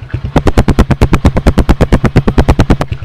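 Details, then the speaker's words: Honda Win 100 (Indonesian) single-cylinder motorcycle with a fully rebuilt engine, original head and original carburetor, at idle. Loud, evenly spaced exhaust thumps at about nine per second with no skips or rattles; a normal healthy idle. "anh chị nghe cái tiếng tiếng máy của nó là thì thầm găng tay từng tiếng luôn tại vì đang đi đầu lòng zin bình xăng con zin"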